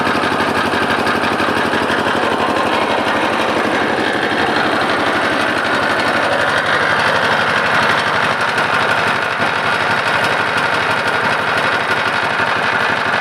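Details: Lister LD1 single-cylinder air-cooled diesel, 4.75 hp at 2000 rpm, about 65-70 years old, driving generator: fast loud steady metallic clatter throughout; lift chain flapping, not internal engine fault.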